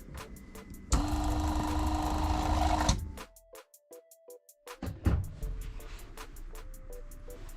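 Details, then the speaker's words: New replacement water pump under the kitchen sink of a 2021 Jayco 224 BH camper, switched on after install: steady buzzing hum for about two seconds then clean cutoff; repressurizes and shuts off, working well. "the pump is working. Repressurizes and shuts off when it's done. So that's working well."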